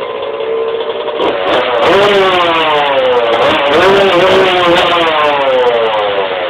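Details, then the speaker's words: 1991 Suzuki RM125 two-stroke after fixing bogging by adjusting the idle screw, float height and needle height and fitting a 330 main jet (from 360): crisp ringing buzz rising and falling cleanly with throttle blips, no bog, normal running. "um yeah it's actually running pretty good now I'm going to start it up for you guys real quick"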